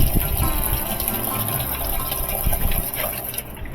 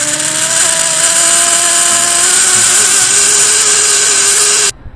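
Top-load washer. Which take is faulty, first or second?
second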